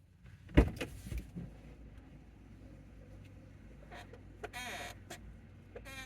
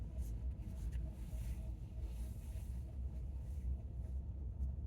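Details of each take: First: 2019 Chevy Bolt, car off: a dull thud then repeated rising and falling squeaky creaks from a dry door hinge as it swings; similar but not identical to the creak heard when turning right at low speed; owner thinks it needs lubrication. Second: 2019 Chevy Bolt on slow left turns in a parking lot at 50°F: only low steady road rumble, no creak or groan. The creaking happens only on low-speed right turns, mostly as the steering wheel straightens back.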